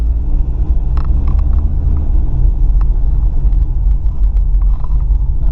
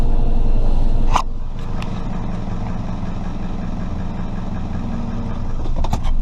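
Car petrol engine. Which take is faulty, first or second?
second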